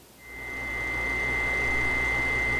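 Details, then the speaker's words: 6-year-old GE Profile refrigerator: steady piercing ~2 kHz whine over low hum from the bottom, compressor overheating due to dirty condenser coils; cleaning the coils removed the noise. "so by cleaning the coils the condenser coils either on the bottom of the refrigerator or in the back of the refrigerator we were able to get rid of the noise and retain our sanity"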